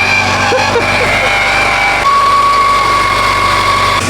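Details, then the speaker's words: Abandoned Subaru Forester with 340,000 on the clock, started with a jump starter after long sitting: steady, even engine note with a faint high whine on top and no knocks or misfires; it fired and idles normally. "Nice, man. It started pretty good."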